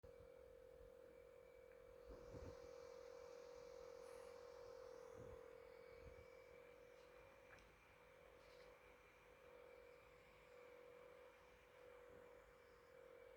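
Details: GE66 Raider laptop CPU fan gives a faint, steady, high-pitched whir at one pitch; it sounds abnormal, cause unclear.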